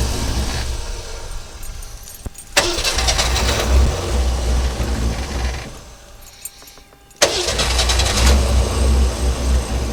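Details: 1963½ Ford Falcon Futura, off the road 18 years, after a new rotor, distributor cap and battery, sat overnight: cranks, catches, sags unevenly, fades, then fires again roughly. Stumbling, rough start.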